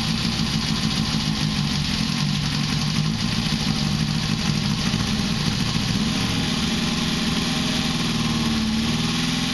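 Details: 1973 Honda CB500K2 four-cylinder with 4-into-1 exhaust, first start after rebuild with new seals and gaskets and float bowls redone with floats raised, after 25+ years stored: steady, even idle with smooth firing and no knocks, misses or rattles; healthy.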